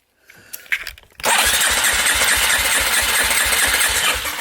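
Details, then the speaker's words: Polaris Predator 500 quad after finding debris in the gas tank, cleaning the carb, new petcock and fuel line: weak pulls and sputters before catching, then an uneven, stumbling run; pops and won't idle well, cause not pinned down. "So the thing pops a little bit and I can't get it to idle great."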